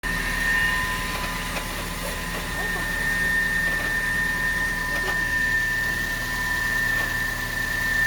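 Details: Car engine at idle: faint, uneven knocking about three to four times a second over engine hum; mechanic traced the noise to AC compressor and alternator (generator) bearings. Finding: worn AC compressor and alternator bearings.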